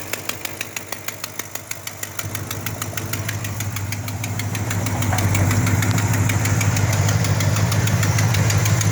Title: Exhaust Leak